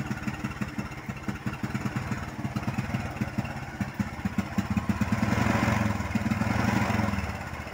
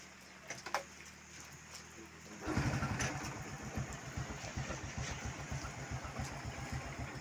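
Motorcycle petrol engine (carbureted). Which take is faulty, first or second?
first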